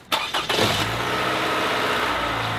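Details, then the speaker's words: Toyota 1AR-FE four-cylinder after oil change, restarted and warmed about five minutes: cranks, catches quickly, settles into steady even idle, quieter than before with much less valve clacking; normal idle. "let it warm up about five minutes and if you notice compared to what it was doing before the overall engine is somewhat quieter too you don't hear the valves clacking as much it's quieter than it was"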